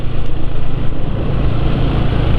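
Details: Engine after oil change to Valvoline XLD 20W-50: low, even putter at a steady pace, no ticking, knocking or scraping; smoother than before, idling normally.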